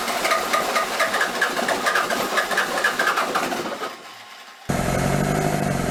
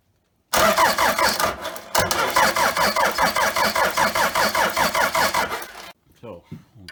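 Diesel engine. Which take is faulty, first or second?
second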